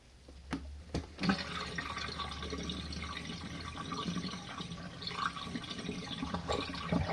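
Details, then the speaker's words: RV washing machine on standard mode, warm water, medium water level, final drain before last 3-minute spin: soft pump hum, then water gurgling and trickling out evenly with no grinding or straining; normal drain. "final drain and we'll go on the final the last 3 minutes of spin guys"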